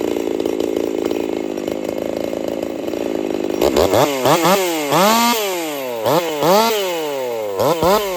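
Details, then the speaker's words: Jonsered 2149 50cc racing chainsaw build, factory air intake, warmed up for first cuts: rapid revving bursts with ragged popping and crackle at high speed instead of a clean scream; builder fairly certain the ignition coil is failing. "It's got some coil issues. It won't clean up. She's got a pop to it, just almost like your four-stroking or whatever, but different."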